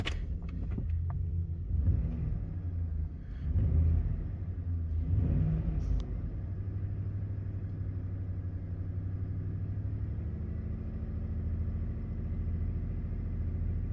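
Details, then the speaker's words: 2010 Ford F-150 5.4 V8, about 173,000 miles, after a cylinder 3 misfire: throttle blips, then a steady, even low idle with no skips and no check engine light. "I don't know, she sounds pretty good, guys."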